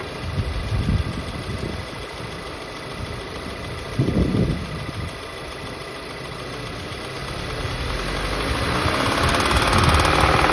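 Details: VW Golf GTI Mk7 Performance Pack, CXCB engine, revved from idle to 3000 rpm, back to idle, then to 4000 rpm: metallic knock following rpm, rod knock, suspected from running without oil after the plastic oil pan broke.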